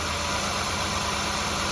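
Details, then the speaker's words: Mazda Tribute Ford 3.0 V6 at idle with misfire code on cylinder five: uneven idle with irregular stumble and shake; swapping coils moved and worsened the misfire, confirming that ignition coil is bad, to be replaced with saved factory Ford coils. "it made a difference so this coil is no good"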